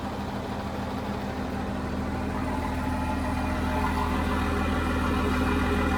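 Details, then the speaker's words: John Deere JD6081H diesel, 10,739 hours, in a 300D articulated dump truck parted out for differential issues: steady, smooth low idle with no knocks or misses. Runs great, and it is thought to have an exhaust gas system. "Runs good, don't it? I think I saw, it must have that exhaust gas thing, but it runs great."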